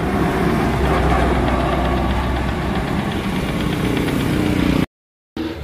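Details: Honda TMX Supremo motorcycle that died and started hard when wet from rain or washing, after repair: steady single-cylinder idle with even low thump, no stumbling before brief cut; running properly.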